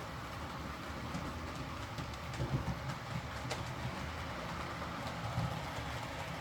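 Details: Used Hornby R2959 Thompson L1 2-6-4T running on the layout after greasing the worm gear: steady low rumble over track joints with light clicks and no grinding. The earlier forward grinding came from excess gearbox play lifting the double gear against the worm.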